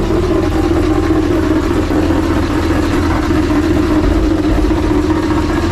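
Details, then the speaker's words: Freshly rebuilt 6.0 LS LQ4 V8 with a Summit stage 1 truck cam, in a 1986 Suburban C20, just started and idling: loud, deep, steady exhaust drone from an exhaust leak and a junky muffler; valve train sounds good. "Aside from the exhaust leak, it sounds good. I'll let it get up to temperature and Valve train sounds good. Piece of shit muffler."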